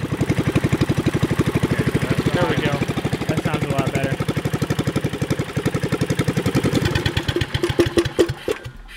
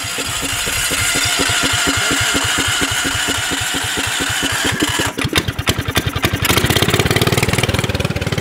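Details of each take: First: Subaru Robin 9hp single-cylinder on a Yerf Dog go-kart, new 26mm Mikuni carburetor, needle clip at midway: pops unevenly and stumbles when revved instead of picking up cleanly, running lean, before moving clip down for more fuel; lean running sputter. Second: Subaru Robin 9 hp single on a Yerf Dog go-kart after swapping the 22 mm Mikuni carburetor for a 26 mm one to richen it, on a test drive: even thumping that revs up cleanly without stumbling, the lean running now fixed.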